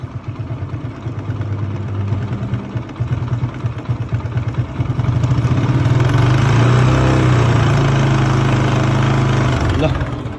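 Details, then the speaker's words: TVS Apache 160 motorcycle engine, before repair: fast light ticking over a mid-pitched idle, getting rougher as throttle is lightly blipped; top-end noise, later traced to an old, stretched cam chain. "हल्का accelerator बटाउने बित्तिकै आवाज अलि नराम्रो आएको छ है, खालको नै हल्का एक्सिलेटर बटाउँछु है।"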